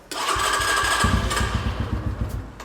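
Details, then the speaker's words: MotoTec X5 250cc dirt bike bought at Walmart (K5223, the lowest-spec model per VIN), freshly filled with oil, on its first fuel-up test: the engine catches and revs, then stumbles and wanders toward idle. It won't idle right until the idle screw is adjusted. "The bike was not wanting to idle right, so I adjusted the idle screw and rode around in the parking lot a bit and then got this thing just dialed."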